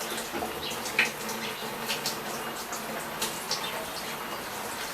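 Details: Brastemp BWG11 washer, testing with the original water inlet valve after an intermittent inlet fault traced to that valve: a steady hiss of water filling the drum, with no buzzing or hammering; normal fill.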